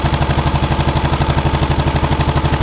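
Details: John Deere 440 IC bulldozer diesel after sitting four to five days: steady even idle with regular low thump, no knocks or misses; healthy engine.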